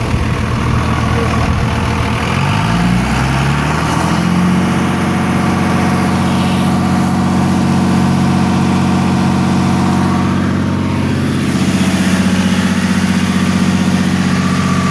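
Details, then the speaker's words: Cummins 5.9 diesel truck revved from idle toward 1800 then 3000-3500 rpm, heard from outside; dull rhythmic thump under steady drone, seemingly toward the back of engine, cause unconfirmed. "I want to say it's in the back. It sounds like it's in the back, doesn't it?"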